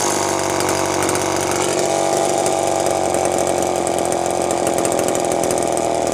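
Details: Terry-built Homelite chainsaw, unboxed and first run: idle with a wet, blubbery burble that won't clean up, smoking; owner says carb way out of tune for fuel mix and elevation, two-stroke running rich.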